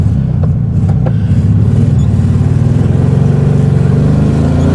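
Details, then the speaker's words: 1967 Volkswagen Beetle air-cooled engine, first drive after valve adjustment and belt replacement, later stalled: loud drone with uneven lumpy exhaust pulse; suspected misfire, plugs to be cleaned and re-gapped. "Kind of sounds like we might have a little bit of a misfire. So we'll want to check that."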